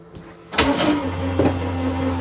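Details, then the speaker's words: 2022 Forest River Sabre 37FBT fifth wheel, bed slide retracting on its 12-volt motor slide system: a clunk as it engages, then a steady low motor hum with a faint whine as it draws in smoothly; normal operation. "Hit the button to bring this in. It basically just comes straight in and straight out. Again, it is a 12-volt motor slide system."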